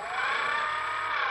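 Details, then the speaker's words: Dynam Grand Cruiser (Cessna 310) RC plane after crash, prop run on ground: thin steady high whine that never builds; motor labouring, not spinning prop freely; suspected bad ESC or motor, prop shaft looks straight. "okay so it's not going to spin very good so basically something"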